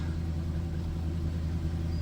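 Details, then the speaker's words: Jaguar XJ just started after sitting with electrical issues: low idle rumble with a slightly uneven beat that then smooths out; rough idle right after start, cause not found. "Huge win. It's not running quite well. It's idling weird. All right, smoothed out."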